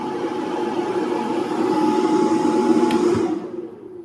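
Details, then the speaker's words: Power Queen 2000W high-frequency inverter under an 800 W space-heater load: cooling fans kick in with a loud steady whir of fixed tone, winding down at the end; normal but noisy, and the fans stay off at 500 W loads. "I put a space heater under the table and it will draw 800 watts of load and the fans will start to kick in. And then you can hear how loud the fans are. So that's the noise of the fan."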